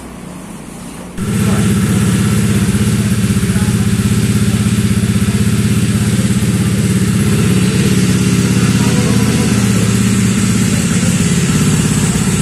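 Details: Honda Vario 125 bored up to 140cc with an FIM piston: it starts at once but runs harsh, uneven and clattery. A hot teardown right after finds a part worked loose and wobbling inside.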